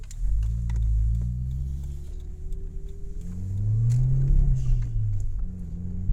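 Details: Audi A3 1.8T AUM, 238 hp: the engine hum rises and falls with revs, with an uneven stumble in the beat. The owner suspects an ignition coil; cause not confirmed.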